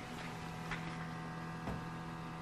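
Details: 2019 Subaru Crosstrek parked with nothing else running: faint, steady low hum/buzz of the fuel/evaporative emissions system doing its routine self-test, mentioned in the owner's manual. Normal EVAP self-test hum, nothing wrong.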